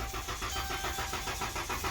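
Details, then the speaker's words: Car towed in as a no-start, starter reportedly replaced, battery jumped (2.4 V before): starter spins the engine at a steady, even rhythm but it never fires; cranks fine, will not start. Crank no start. "so let me get this straight they put a starter on it because it won't start not because it won't crank that's a totally different complaint guys"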